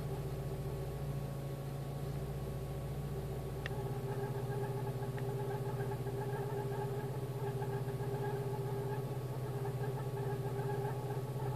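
Smooth, steady idle with an even low hum and no misses, surges or ticks; the engine runs cleanly.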